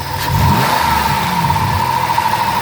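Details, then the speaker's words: 2007 Chrysler Town & Country LX mobility van, 3.3 V6, 330k miles, fleet-maintained, heard under the hood: even, smooth idle with a quick clean rev lift and return, no knocks or ticks. Healthy engine. "sounds good it's got a good response time to it"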